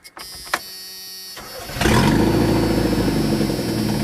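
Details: Junkyard Chevrolet S10 pickup after fitting new distributor and cap, battery reconnected: a couple of clicks, short crank, then catches and holds a steady, even idle with no misfire; fixed, running fine.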